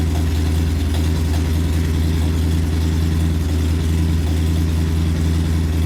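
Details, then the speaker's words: Porsche 928 V8 with homemade stainless exhaust, only a short straight-through front silencer with X-pipe fitted: deep, heavy, boomy idle rumble, about 87 dB on a phone meter, down from 91 dB; loud exhaust. "Right, so we're sitting about 87 decibels, I guess. It was up at 91."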